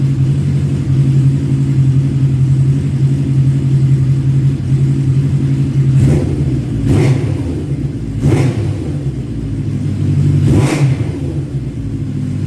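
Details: 1985 Kawasaki GPz900 Ninja, revived, fuel tank refitted, engine slightly warm; smooth four-cylinder idle then four crisp throttle blips returning cleanly: normal idle and revs, though a coolant leak was found afterward.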